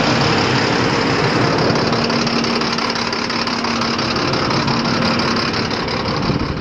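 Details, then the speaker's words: Diesel dump truck idling after draining about a foot of water from the bed: uneven beat with an occasional stumble every few seconds, still skipping a little; cause not found. "I don't know, the truck didn't sound like it was doing any better. Sounded like it was still skipping a little."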